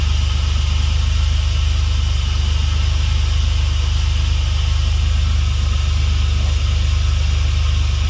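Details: Dodge 3.7 swapped engine, previously a no-start, after a new reluctor ring was fitted: it fires and settles into a steady, even idle with no misses or knocks.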